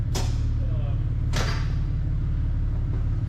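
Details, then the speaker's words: Long-sitting Mercedes AMG put in gear to drive onto the lift. Steady idle rumble, then two sharp clunks before it dies. The differential is dead, and burning oil from valve cover gaskets leaking onto the exhaust is smelled. "but that differential is dead I guess completely dead"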